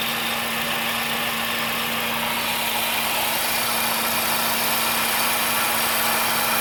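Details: Vehicle began making this noise after driving through a flooded street: steady low hum-whine at one pitch over heavy hiss at idle; abnormal engine noise, source unknown.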